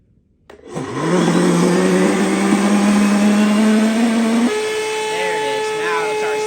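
Motor spins up with a rising whine that holds a lower, strained pitch, then jumps higher as suction finally kicks in.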